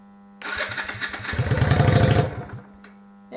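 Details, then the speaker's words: 1998 Yamaha XVS 125 Drag Star on a booster pack; starter churns in a quick, even chug for about two seconds but the engine never catches; owner suspects fuel starvation from tank or carburettors, not confirmed: cranking but not starting. "it's starving for fuel it's not getting from the tank or from the carburetors so I will proceed with dismantling"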